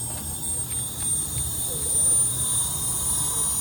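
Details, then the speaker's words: Ameristar package HVAC unit found with zero refrigerant and low-pressure cutout fault, pressurized for leak search: steady high hiss over low rooftop rumble; leak heard somewhere in the condenser. "It's leaking, I hear it. We're going to pull this top off, get to it, somewhere in the condenser."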